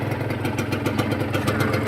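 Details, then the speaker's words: Honda NSR150RR two-stroke after rebuild of a blown engine (new aftermarket cylinder, piston, rings, seals, some clutch plates, NPro carburettor): regular popping about seven a second, steady and quiet with no knocking, a clean healthy idle. "ก็ใช้ตัวนี้ไปเป็นคบูเทียมเหมือนกันนะครับก็เสียงนิ่งๆเงียบๆครับ"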